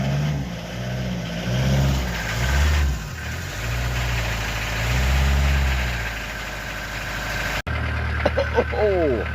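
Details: 1988 Swift Kontiki diesel motorhome, stuck unable to start, finally fires on jump leads with a weak battery: steady low diesel clatter settling into an even idle with no misses or knocks; normal diesel idle.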